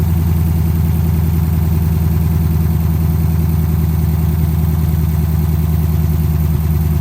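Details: 2010 Dodge Charger idling just after its first start following replacement of damaged heads, before coolant is added: a steady, even low idle with a smooth, regular pulse and no knocks or misses, running cleanly.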